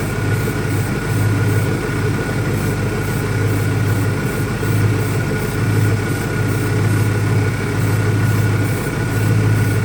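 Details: 2001 Ford Mustang Cobra after new Bosch spark plugs, steady low idle that surges and dips roughly every second; owner doubts it is a vacuum leak, cause not found; rough idle.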